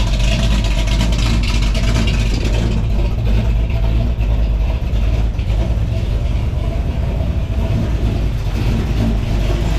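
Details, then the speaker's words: Loud V8 idle on a project car: lumpy, uneven beat with an occasional stumble. The owner suspects a slight miss from a bad plug wire or a valve; the cause was a bent pushrod. "sounds like it might be a slight Miss in it might have a bad plug wire"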